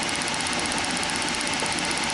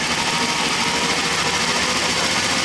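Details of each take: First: Ignition at 1,200 rpm engine speed, supply lowered from 12 V: fast even spark ticking with steady hiss, thin and faint; no change at 10 V, spark fading from 7 V, gone at 4 V. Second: Triumph T100R original points ignition on an inverter-driven bench rig at camshaft speed, equivalent to 2,000 engine rpm: steady high even whir; healthy spark, no arcing at the points, condenser good.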